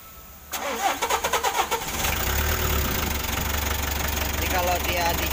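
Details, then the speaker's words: Mitsubishi L300 diesel, hard to start in the morning when cold, weak and lumpy: cranks in uneven bursts for about a second, then a rough clattery idle; low compression, engine needs overhaul. "bahwa lentingnya kompresinya sudah kurang dan ini sudah minta sih bongkar mesin"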